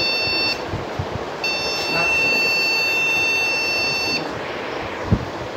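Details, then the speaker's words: Desktop PC with no display: the speaker sounds a steady high beep, short then long; still beeped after cleaning the RAM, and swapping the module proved the RAM faulty. "Okay, display okay, that means this RAM is faulty."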